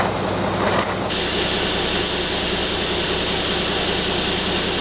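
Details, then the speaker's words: School bus conversion idling diesel: a loud, steady hiss of escaping air from a valve on top of the air tank, later identified as the leaking pressure protection valve. "no listen something's still blowing air darn it still right here you hear it yeah totally i don't know what that thing is"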